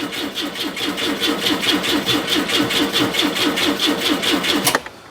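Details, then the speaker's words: Citroen GSA with the alternator removed while isolating an engine noise: the starter turns over in two to three labored chugs a second, slowing and dying after five seconds; battery flat because the alternator isn't charging properly. "let's give her a quick start see what she's saying it's like oh that battery's going flat"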